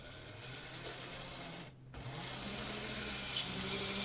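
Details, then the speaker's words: Graham Farish N-gauge Class 50 loco on Poole-type chassis after cracked axle gears replaced, high-speed test: thin high squeal over the whirring motor, climbing with speed; suspected dry shaft rubbing on bearing block. "i'll just do a high speed test now and i think we should still have the squeal"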